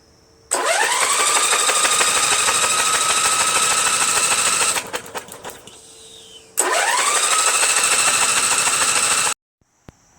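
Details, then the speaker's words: Sabre John Deere lawn tractor engine flooded with fuel from a leaking carburetor, cranked with spark plug removed: two bursts of fast, light, even cranking with no compression to blow fluid from combustion chamber. "So now I'm just going to crank it over a few times and let it extract everything that's in the combustion chamber. I'm sure there's going to be a lot of fluid."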